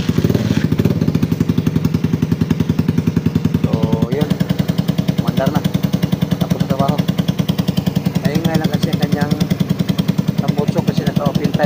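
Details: Raider 150 carbureted motorcycle after repair for sudden compression loss, accessories refitted; loud, steady, even exhaust beat at fast idle with no misses or knocks, loud only because of the open pipe; normal running.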